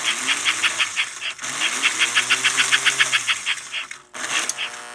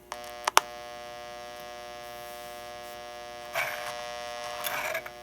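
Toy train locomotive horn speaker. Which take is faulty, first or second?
first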